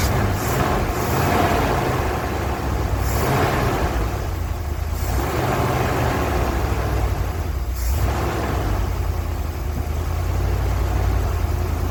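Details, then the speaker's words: 1980 ramp truck, 351M V8, first run after ~25 years sitting, fuel pump hooked up: steady, even low rumble with smooth throttle blips, no knocking or misses; idling healthy. "All right, so there you have it. It is sitting here idling, and I don't hear any knocking."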